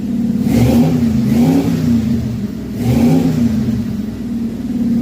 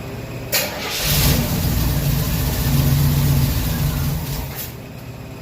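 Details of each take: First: Carbureted Chevy V8 stored since 2010, first start in 15 years after new carb, fuel pump, plugs, wires, Hooker headers, custom H pipe and two Flowmaster mufflers; deep burble with three crisp blips in five seconds, climbing and settling cleanly; normal idle and revs. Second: Stored Chevy V8 after a first-time Quadrajet carburetor rebuild: cranks and fires into a low, slightly uneven idle that sags and wavers; the faulty rebuild sent fuel into the vacuum and emissions lines throughout the engine bay.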